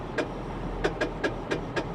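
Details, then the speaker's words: Honda Insight at auction, at idle: rhythmic sharp clacks every quarter to half second, fading when the AC is switched on. Speaker first suspected an internal engine problem, then a pulley. No power steering. "that's a pulley guys and then there's no power steering that's it's not the engine yeah there's no power steering that's a pully"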